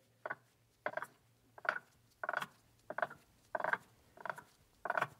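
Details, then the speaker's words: 1966 Triumph Spitfire differential being rebuilt, turned by hand on the bench with backlash present and an unsatisfactory gear mesh pattern: crunchy ratcheting clicks come in bursts about once a second. Owner suspects the gears, possibly too much backlash; gear mesh noise, unconfirmed. "we also got a little bit of noise here when we rotate"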